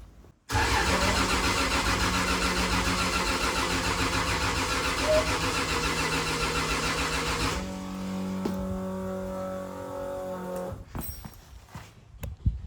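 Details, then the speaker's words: Freshly rebuilt 2JZ in a KE70 Corolla, cold start probably below about 10 °C: steady cranking drone for several seconds with no firing, then the starter stops; corrosion found in a sensor plug stopped it starting. "Why no start? Normally it kicks into gear straight away, so what are we missing? I've probably forgotten something. Come on, Jared, let's do some braining. Okay, of all things, I found a little bit of corrosion in this plug"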